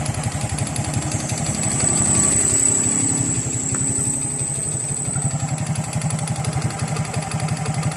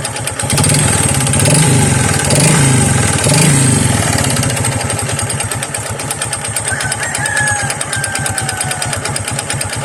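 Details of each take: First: Honda XRM 125 single-cylinder after overhaul with new connecting rod set and two side bearings: steady even clean idle pulsing about three per second, no rod knock or slap, sounds brand new; block still needs rebore for scored cylinder. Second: Honda XRM 125 single-cylinder, kick-started before overhaul: loud regular pounding about three beats a second over the exhaust, worn connecting rod knock mixed with piston slap.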